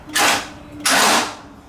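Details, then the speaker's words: Non-running Honda EG hatch with swapped B18C1 GSR engine, battery on charge: two short harsh starter bursts with no turnover or firing; the engine will not crank and seems locked up, cause still unknown pending teardown. "so it's definitely locked up so it's inevitable something's wrong"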